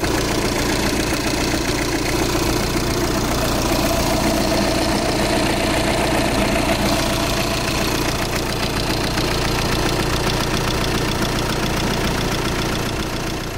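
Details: Audi Q5 diesel, towed in with a no-start, after replacing the fuel pump and module: a steady diesel clatter at an even idle with no stumbling; the engine now starts and idles normally.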